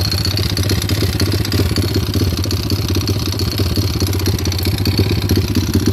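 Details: Recovered stolen pit bike, single-cylinder at idle: fast uneven rattling knock over low exhaust thump, unchanged when clutch pulled; owner unsure whether rod knock, valve or timing chain.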